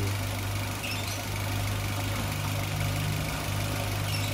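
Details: Toyota Avanza with a hard-to-find fault, electrical parts already swapped: low steady idle hum with an uneven shake beneath and no clear knock; rough running, owner suspects the in-tank fuel pump motor noise; cause not confirmed.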